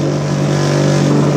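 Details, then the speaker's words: Bench-mounted buffer running while polishing a pipe: steady motor hum with buzzing, fluttering rattle as the buffer shakes on its mount despite being screwed down. "Because you'll hear in a second it'll rattle. I've screwed it all down and everything, but it'll rattle like a bastard."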